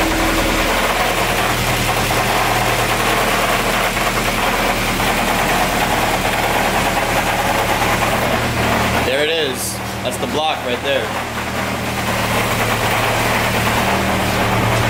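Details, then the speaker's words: Uneven deep knocking thumps through the running engine and don't smooth out. Owner first suspected the clutch, since the knock fades with the clutch pedal pressed (load released) and returns when it's let out. Internal engine knock; engine block to be replaced. "the reason why I was thinking it was the clutch was every time my friends down it would go away but then I suppose I release the clutch you could hear it again"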